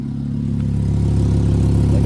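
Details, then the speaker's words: Audi A4 loud, raspy exhaust drone rising with revs with a slightly uneven pulse after start; owner says it seems to come from the engine exhaust manifold, not the rear; suspected front exhaust leak, possible miss. "like I said when the car starts it sounds like it's up there somewhere it doesn't even sound like it's coming from the back sound like it's honestly coming from the engine uh exhaust manifold to be [Music] honest"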